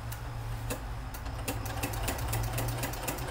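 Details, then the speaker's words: Janome sewing machine with a ruffler foot making one pleat every 12 stitches: even low motor hum with light regular ticks about four a second as the foot pleats; not noisy, working normally. "it's not noisy, but it's working."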